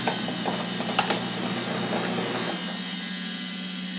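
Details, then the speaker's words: Cooling fan inside a desoldering station, failing: rough, scratchy grind with a steady low hum that shifts partway through; a whack quiets it and it starts working; noisy cooling fan. "that's the fan inside of my desoldering station if i give it a nice little whack it shuts up and starts working"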